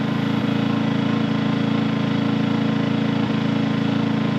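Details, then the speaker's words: New Harbor Freight Predator 2000 W generator (1600 running watts) in eco mode with a small 40 W light load: steady, even low drone at throttled-down engine speed, much quieter, no misses or hunting; runs fine. "Let's put on eco mode. Eco mode here. I think that kicks the throttle down. Oh yeah. Listen to that. Way quieter. that throttles the uh motor down till there's a demand on it."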